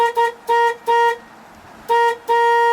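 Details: 1978 Jeep J20 three-quarter-ton 4x4 plow truck, an auction buy, tested during an electrical check: several short, clear, steady-pitched horn toots of even tone, no rasp or dropout. The horn works properly.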